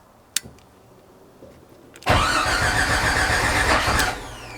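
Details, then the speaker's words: Jeep 4.6L stroker, fresh rebuild, first start attempt with battery jumper: cranks, fires raggedly for two seconds then dies; suspected timing 180 degrees out, compression stroke possibly mistaken for exhaust. "I thought I had it right but I'm gonna double check maybe what I thought was the compression stroke was actually exhaust"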